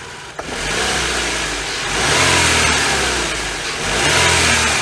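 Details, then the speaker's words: Chevy Cavalier with the Ecotec 2.2 engine, heard with the hood open: a smooth, even note with gentle revs and no ticking, knock or whine from the timing chain area. Healthy engine, normal running. "but the engine's healthy there's no timing noise"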